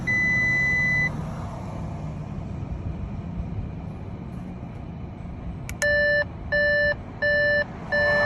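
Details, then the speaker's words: Twin-turbo Audi R8, about a month after purchase, transmission failed and stuck in gear, won't go into park so it can't start: steady tone, quiet cabin, then dash warning chimes about once a second as codes appear. "And because I couldn't put it into park, I couldn't start the car because it's just not letting me put it into it. Then it threw up all these codes, which watch the video so you can see exactly what I'm talking about."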